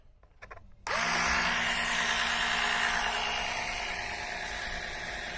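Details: Mercedes engine oil being pulled from the oil pan through a hose by a small electric suction extractor, first switch-on: quiet room, switch click, high motor whine settling to an even hum; strong suction, pump running normally.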